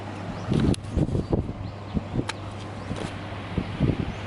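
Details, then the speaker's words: Samsung air conditioner outdoor unit restarting after cleaning and a compressed-air blow-out: steady low hum with a few thumps on top, fan speeding up evenly with no rubbing or rattling; running normally. "it's getting faster now so it looks like everything's okay cooling itself down"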